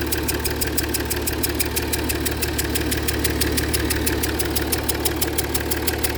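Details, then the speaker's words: Jaguar XF S 3.0 diesel with smoke under the bonnet and in the cabin: sharp, rapid chuffing ticks about six a second over the idle, changing with revs. Fumes puff from around an injector, leaking combustion gas past a missing injector washer. "Sounds like it's coming from around the side of the injector."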